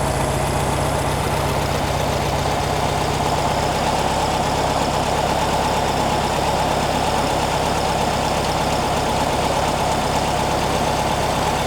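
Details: 1957 oval-window VW Beetle with generator air-cooled flat-four at very low idle: steady, even, unhurried beat with no knocks or misses; runs smoothly, slight bog when given fuel.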